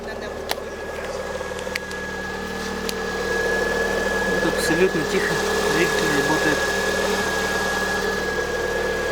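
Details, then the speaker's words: Lada Priora engine, cold start the day after an oil change with an additive to quiet hydraulic lifters: smooth steady idle, no lifter ticking, running evenly; normal cold-start idle. "двигатель холодный Так ну как как я слышу гидрокомпенсаторы не чекает двигатель работает Ровно"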